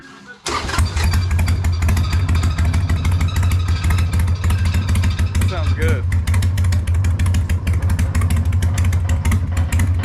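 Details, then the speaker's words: Freshly built Hammer Performance 1250 Harley Sportster (ex-883), baffles removed, before 50-mile break-in: fires up into deep loping loud open idle, steady, no knock, making it shake; normal idle. "I think I'm keeping the baffles out. Yeah. Sounds big. Making it shake. Damn. That sounds rad."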